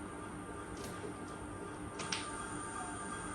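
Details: Fan run from a square-wave UPS with the noise-suppressing capacitor removed: steady, harsh buzzing hum with high tones layered on top and no change; capacitor reduces this noise.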